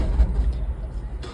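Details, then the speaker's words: Mahindra Bolero pickup with check light blinking at key-on: starter churns unevenly with no catch; crank no start, fixed by disconnecting the wire for 10 seconds and reconnecting. "பாருங்க நான் self அடிக்கிறேன். Start ஆகாது."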